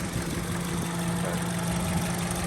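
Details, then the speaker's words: 2005 Honda CR-V EX AWD, low miles, new battery and starter, idling with the microphone hovering over the engine: fires right up, smooth, quiet even hum with no knocks or ticks, a healthy engine. "it runs great. Fires right up, nice and quiet like a good Honda should be."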